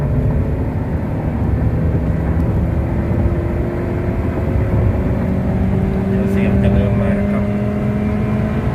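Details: Thin steady whistle wavering in pitch over road and wind roar at about 120 km/h and above; loose windshield trim fluttering in the airflow.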